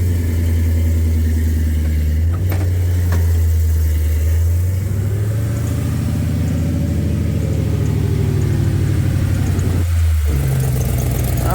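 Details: Plymouth Cuda V8 idling: deep, lumpy rumble with a loose puffing tick from an exhaust leak making it run worse than it should; attempted fix failed and the leak remains.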